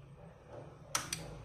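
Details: Relay used as a switch to turn on a light bulb: two quick, crisp clicks about a fifth of a second apart in a quiet room as the relay pulls in and releases normally.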